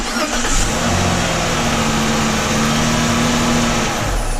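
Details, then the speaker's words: 2007 Chrysler 300 3.5 L V6 after starter replacement, ground fixed, connections cleaned, new starter terminal; previously dragged slowly. Quick, even cranking spinning up smoothly without drag or whine, then catches; normal starter cranking. "and we've cranked it multiple times, and she is spinning over like a top."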